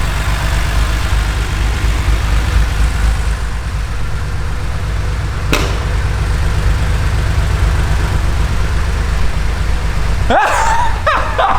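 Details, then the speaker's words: Porsche 911SC Targa at idle after about 8 years in dry storage, oil at max level: steady low rumble with a constant rushing, hissy wash like a waterfall heard inside the car; source unknown, possibly related to the oil. "so I think that's a yes I don't know what that is but we've definitely got a waterfall in the car"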